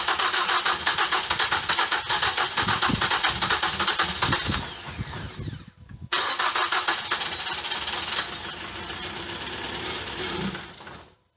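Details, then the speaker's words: Engine with a cracked cylinder head that had water and fuel in the cylinders, plugs and coils refitted: long rapid cranking around three turns a second, briefly firing then dying twice. "she has a little bit of life in her let's try again"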